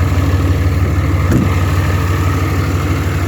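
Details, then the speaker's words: 2004 Ram diesel truck, 251,000 miles, worn throwout bearing but idle good: deep, steady idle with an even low rumble, no knocks or misses, quiet exhaust; healthy normal idle. "And it does have a worn throwout bearing as well, but idle's good and everything."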